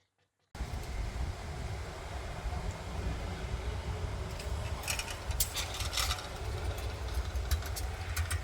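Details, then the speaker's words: 1940s Whizzer motor bike engine, first test run with slightly leaking carb bowl gasket: small single fires and settles into busy even putter with some clatter, no misses. Normal running. "this no canceling mic probably shuts off the good noise it's fired right up"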